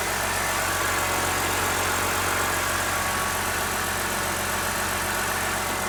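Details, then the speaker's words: 2013 BMW 328i E93 with the N52 six-cylinder, after replacing the valve cover because a damaged CCV diaphragm caused a loud belt-like screech at idle: now a steady, smooth, quiet idle with no screech or whistle. "See how she runs. Perfect. No more idle issue. And nice and quiet."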